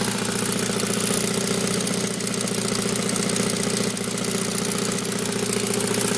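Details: Saab 9000 Aero at idle: steady idle with a light, fairly even tick at about 220 per minute over the engine; owner asks what the ticking is, cause unknown.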